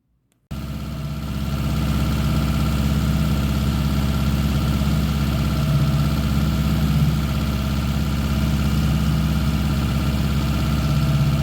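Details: 1979 Honda GL1000 Goldwing after a carburettor rebuild: flat-four idles lumpy and uneven at about three pulses a second and runs a little smoky, improving slowly as it is run to burn something off.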